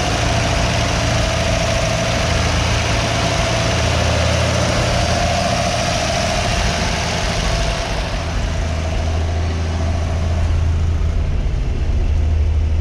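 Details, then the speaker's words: 1958 Ford F100 panel truck six-cylinder after cleaning plugs and replacing ignition points, choke being adjusted: low, steady idle with even firing, now on all six, idle still slightly rough; owner suspects leftover bad fuel in the system. "just like that it's running on every single cylinder the idle's a little rough still"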